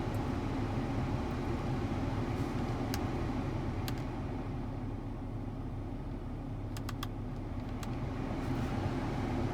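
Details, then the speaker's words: Volvo XC90 blower fan after replacement with a used unit from a 2006 S60: steady rush of cold air with even fan hum, no chirping or squeal; the earlier chirping noise is gone, normal blower fan operation. "no more noise no more chirping noise only the only the wind blowing cold wind yep"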